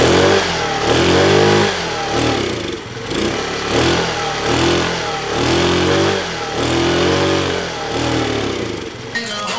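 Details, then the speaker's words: 50cc Chinese scooter after sitting, fuel present in filter: small single fires and surges up and down roughly once a second, never settling, then falters; runs briefly then stalls, owner suspects carburetor or petcock. "it is oh she was happy for a second"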